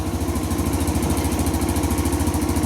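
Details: 2017 Kawasaki KLX140 dirt bike after re-sealing leaking engine covers, started with jump pack; quick, even putter with steady beat, no misses or knocks, idling cleanly while checked for leaks.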